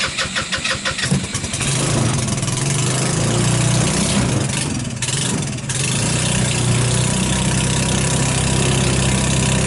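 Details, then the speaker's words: Hammerhead off-road go-kart, 150cc GY6, cold start: cranks and catches, then runs rough with dips in speed, hunting as if starved of fuel; lean surging from contaminated fuel in carburetor, ignition and spark already good. "see what it's doing it's like cleaning out like I can't quite then quite get enough gas to keep it going so that's the issue with it"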